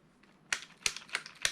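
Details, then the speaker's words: Vintage Schumacher Mi1 RC touring car, steering turned to full left lock: four crisp plastic ticks about a third of a second apart as the servo saver arm hits the steering link before the bump stop is reached. "The servo saver arm hits the steering link before the bump stop's reached, but only when it's turning left."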